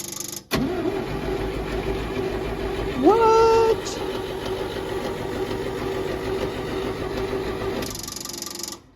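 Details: Old Champ forklift, unknown year, sat for years; after fixing fuel pump wiring and ground the pump works, starter grinds the engine over steadily with a brief whine but it never fires; cranking, no start due to no fuel.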